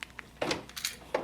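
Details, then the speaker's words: 2012 Honda Accord, front driver door lock actuator: quick lock clunks, then a brief whining buzz right at the end of unlocking. The worn gears inside the failing actuator cause the whine, and the actuator is being replaced. "If you hear that little whining or buzzing right at the end when I unlock it, that's the gears going bad in there."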